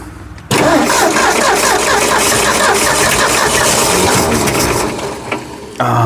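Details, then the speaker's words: Long-sitting Ford F100 with a previously locked engine, now fed from its tank through an old filter to the carburetor: engine catches and roars about five seconds, then dies back to cranking; fires but will not keep running. "so close so much better than it was though yeah I think it's going to run"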